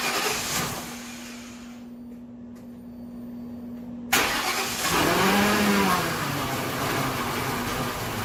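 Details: Grand Marquis with homemade twin supercharger setup, first start with original fuel pump: quiet hum, then cranks and catches loudly, running rough and uneven with wavering belt whine; brackets jump around and need stiffening.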